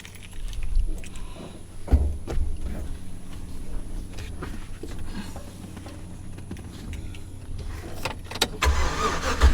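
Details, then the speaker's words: 2008 GMC Sierra, warm restart 20 minutes after driving, new gas cap and mass airflow sensor didn't help: long, labored cranking, slow to catch; hard starting when warm (usually fine in the morning), owner suspects a clogged fuel filter inside the fuel pump. "so usually it usually cranks good in the morning but then if you drive it around for a little while it has a hard time cranking"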